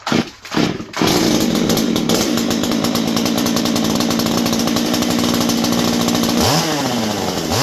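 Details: Stock, decade-old, heavily used Stihl MS201T before its muffler swap: sharp starter pulls, then a steady high buzzing idle and two throttle blips, sounds healthy.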